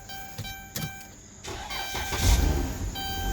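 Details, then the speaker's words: Van that would not crank, battery at 2.4 V and jumped, TIPM fault bypassed by feeding 12 V to the fuel pump circuit: after a few clicks it cranks, catches and settles into an even idle with no misses, a normal start. "Bingo y'all hear that the van is running"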